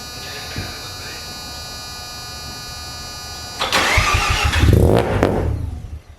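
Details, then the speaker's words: Mazda FD RX7 RS Series 8 bridgeport rotary, Hypergear T51R single turbo conversion, first start attempts: pump hum, then engine catches with seconds of ragged firing and fades out; fires but won't keep running, suspected trigger setup and fuel issues. "So I'm not gonna lie, we had some fun yesterday trying to work out how exactly to start this car, and we didn't have too much luck. Hussein had such little time, and we got it to fire a few times."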